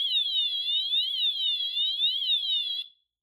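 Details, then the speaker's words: Notifier NFS-320C agent release demo: shrill electronic siren sweeping up and down about once a second after the manual release station is activated, pre-discharge delay before discharge mode. "When this is activated, there's a short delay on pre-discharge before the system enters discharge mode."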